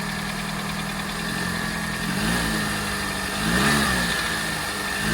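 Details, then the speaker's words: Skoda Fabia 2 estate idling after fitting new water pump, belts, idler and tensioner: smooth, steady idle with a couple of clean throttle blips and no rattle or tapping; problem solved. "Yeah, solved it."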